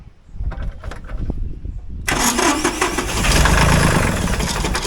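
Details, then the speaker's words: Ford 1520 diesel tractor, previously long-cranking hard start, after valve clearance adjustment and battery charge: a couple seconds of starter clatter then catches at once into steady idle; clean start, possibly some air in fuel lines. "oo hell yeah see how it started just like that like nice and smooth that's like perfect"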